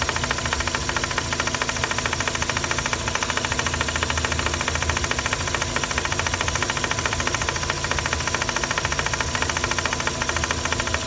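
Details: Mazda RX-8 engine bay at idle: fast, fairly even light rattle about three and a half per second, caused by excessive play in the SSV (secondary shutter valve) actuator rod; harmless but annoying.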